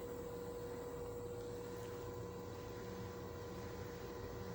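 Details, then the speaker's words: LG automatic washing machine after the vibration fix, with about 4x4-inch mats under it and side packing kept; at full spin rpm a steady even hum, constant tone, no thumping or wobble. Smooth, balanced normal spin. "उस वक्त बिल्कुल full और PM में चल रही है और आप सुन सकते हैं बिलकुल स्मूद है"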